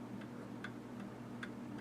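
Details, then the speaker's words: 1807 Gilbert mantel clock after restoration (pendulum bob from a Model T bearing), fully wound and running perfectly; steady, evenly spaced tick-tock about twice a second with no skips, running healthy and in beat. "all right guys it's all wound up it's running perfect sounds good so"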